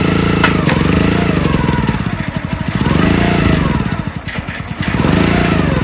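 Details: Countyline 25-ton log splitter small single-cylinder engine after carb cleaned, jets cleared and tank cleaned: surges, then sags and stumbles under load, nearly stalling; bogging, owner suspects carburetor or fuel flow, possibly mixed-up gaskets, unconfirmed.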